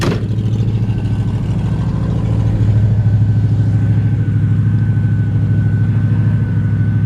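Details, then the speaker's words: 1968 Chevrolet Camaro, carburetted, glasspack mufflers: deep, smooth, aggressive exhaust burble idling a bit high; owner suspects carburetor needs tuning, slight dieseling noted at shutdown; high idle. "nice aggressive exhaust. Idle set a little bit high right now. Like I said, the carburetor probably could stand to be tuned in or dialed in or adjusted."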